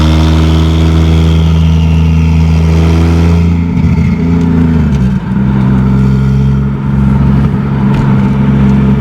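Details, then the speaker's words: 2JZ-GE NA-T swapped MK3 Toyota Supra turbo: a strong, even full-boost pull through the revs, a shift, then clean acceleration with no breaking up. Normal; idle still wants to die. "Hey, it didn't break up. Hey, there we go. Hey, heck yeah. >> Yes, bro. That might have fixed it. It's not breaking up now."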